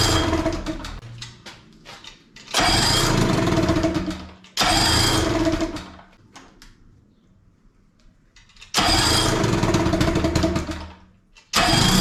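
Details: 18 hp Evinrude outboard, not run for two years, carb removed and refitted, running in water tank while the air screw is being adjusted: catches and runs roughly about two seconds each time, then dies; repeated stalling suspected carb mixture, not confirmed.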